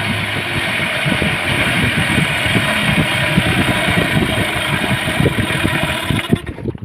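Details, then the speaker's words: Yamaha 15 hp outboard after repair of weakened ignition coil and flooded carburettor: starts easily, settles into steady even run with no stumbling or surging, then shuts off cleanly; healthy idle. "dia tadi mesinnya sudah mantap tidak susah hidup lagi Kemudian tenaga sudah bagus"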